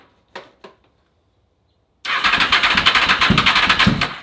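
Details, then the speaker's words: Honda VFR/CBR hybrid motorcycle with 800cc V4, new custom exhaust, after fixing a blowing harness fuse and long storage, first start: two short cranks then catches at once, crisp even firing beat, no misses or knocks. Normal start. "right, guys, I am so stoked that this thing runs now."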